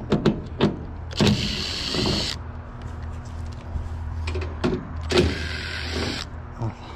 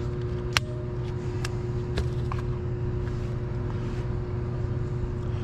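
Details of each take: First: HVAC blower motor replaced about three weeks earlier: steady low electrical hum with no spin-up, heard from inside, under clunks and handling noise; blower failed to start because of a failed capacitor. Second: Blower motor replaced about three weeks earlier, had stopped and hummed due to a failed 5 µF capacitor reading nanofarads; after fitting a new capacitor, motor was a bit hot; steady even hum, no rattling; running smoothly.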